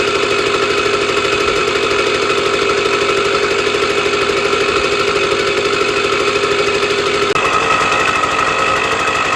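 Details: Sears Sabre 50cc two-stroke motorcycle, 1965 or 1966, first start in 45 years after a carb clean: fast, buzzy crackle holding a steady, even beat, no misses or knocks; normal running.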